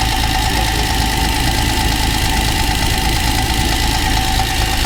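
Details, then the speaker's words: TVR Tuscan at steady idle after throttle-body balancing and a throttle return spring preload increase: light, quick tapping from the top of the engine, not a deep knock; owner suspects a top-end/head problem, possibly the middle cylinders, likely needing the head off. "Uh but the noise is not still sounds top end."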